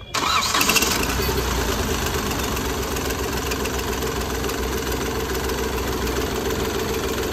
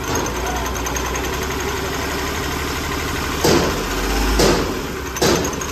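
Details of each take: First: Hyundai Grand i10 diesel with Delphi injectors, previously hunting, knocking and slow starting: after injector repair and refit, cranks briefly, catches at once, then settles into an even diesel idle clatter with no stumbles. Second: Hyundai Grand i10 diesel with hunting and knocking, no fault codes or lamp, at idle: lumpy, uneven idle with irregular surges and thumps about once a second as firing drops out; suspected faulty injector misfiring.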